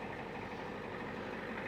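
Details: 1989 Ford F250 7.3 IDI diesel: steady, even clatter at idle with no misses, knocks or surges; normal, smooth, healthy idle.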